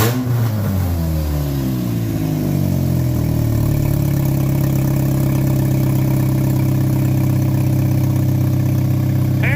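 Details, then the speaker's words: Race car running again after floor, firewall and fuel cell work, with lubricant burning off the exhaust. Revs drop from a blip with a bleed-off sound, then settle into a smooth, even idle with no misfire or knock; the engine runs healthy. "well what do you think Dennis think she's running really good"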